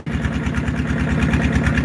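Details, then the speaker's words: Farmall H tractor running while dumping: loud idle with a lumpy, uneven exhaust beat, likened to an old neglected Harley; timing is suspected but not confirmed. "listen to that exhaust sounds like a old beat up harley that hasn't been on the road for 20 years"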